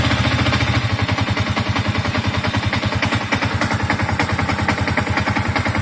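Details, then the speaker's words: Yamaha MX King 150, older bike, first start after major engine service and radiator refill: low, even thump about 3.5 beats per second, no misses or knocks; smooth, healthy single-cylinder idle. "nah ini udah nyala motornya ini Alhamdulillah suaranya halus"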